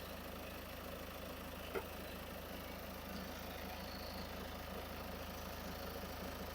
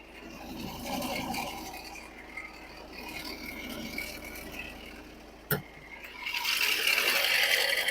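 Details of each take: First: Ford diesel with about 50,000 miles idling after alternator replacement: smooth steady low drone, no grinding or whining like before; new alternator charging about 14.5–14.6 V — normal idle. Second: Ford diesel, idle, no warning lights: a dry, scratchy rattle about four beats a second from the engine bay, traced to a failing alternator bearing; the alternator was replaced.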